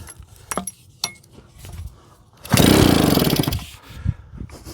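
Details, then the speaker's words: JAP 36cc two-stroke engine on a Stuart water pump, pull-started at minimum throttle: cord rattle, then a brief ragged sputter that dies. It dislikes minimum throttle and likes more; a two-stroke smoke smell is noticed. "Now she don't like that at all. She certainly likes throttle."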